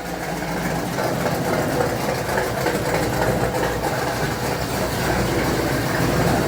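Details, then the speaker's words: 1975 Dodge D100 with rebuilt 417 stroker V8, timing just set to 16 degrees after fixing distributor gear, runs with uneven puffing tick on the exhaust note; exhaust leak at header-to-collector gaskets, mainly passenger side, still to be replaced. "Like I said, there is still an exhaust leak. I got to replace the gaskets from between the header, collector, and the rest of the exhaust."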